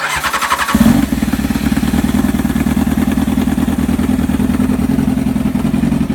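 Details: Honda CBR600 F4i after replacing ECU, wire harness and ignition switch zener diode to fix no spark/no fuel: fuel pump primes, engine catches within a second, steady even idle warming up; normal start and idle.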